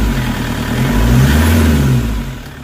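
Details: Toyota HiAce common-rail diesel with crank-no-start and codes P0087, P0107, P0400, after timing setup: catches and revs up smoothly, then settles into an even, steady rumble with no knocks or misfires; normal running after the fix.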